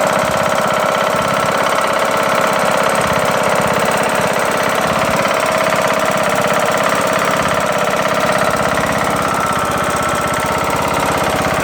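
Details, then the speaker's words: Briggs & Stratton engine on Craftsman LT2000 mower, running with cover off after camshaft and timing gear replacement: steady exhaust with heavy, hard knocking; also sluggish in thick grass; owner suspects something hitting or banging, cause unconfirmed. "Alice I don't know it almost sounds like maybe something's hitting somewhere hey banging or something I'm really not sure what's going on here"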